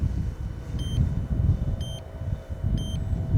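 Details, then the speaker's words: Yuneec Typhoon Q500 4K drone in flight: short high double beeps about once a second over wind rumble from the controller confirming the spring-loaded throttle stick is centred; beeps if it wanders off centre; normal. "okay the beeping you can hear is the um is the centered it's the throttle which is quite quite nice cuz although it's springloaded it's quite nice to have that little backup sound that tells me that it is knowing that the center is the center"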